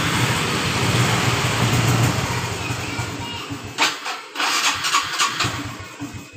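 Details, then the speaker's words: Honda Revo FI fuel-injected motorcycle that was hard to start cold or hot, after a cracked part with zero pressure was replaced: brief crank, then an immediate, steady start; the air filter is possibly also involved. "kita kunci kontak on perhatikan normal ya teman-teman motor langsung hidup dengan normal"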